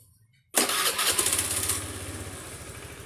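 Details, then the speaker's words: Honda Beat scooter after tightening a loose spark plug that had caused piston- or chain-like noise: catches on first crank, flares, settles into a steady smooth normal idle. "Dengaran kan? Suaranya sudah halus, normal, standar, seperti sedia kala pada waktu itu, pada waktu normalnya."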